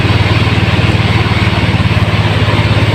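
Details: Yamaha Mio scooter that bogged (hagok) at full throttle, after a fuel filter replacement: a steady, even low putter at idle, about eighty beats a minute, with no misses. The fix was effective and it runs smoothly.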